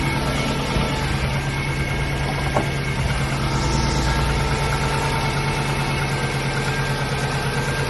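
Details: Subaru EJ205 at idle: a loud, uneven, deep knock about three times a second over the engine drone. The owner asks whether it is piston slap or damaged crankshaft bearings; unconfirmed.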